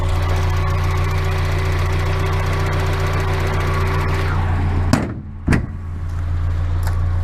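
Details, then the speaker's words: Miata idling after new NGK spark plugs and wires, with the loose exhaust section cut off: smooth, steady idle that no longer misses, with a faint tick about twice a second that the owner calls new and unexplained. "The only thing is that it sounds like it has a weird tick now."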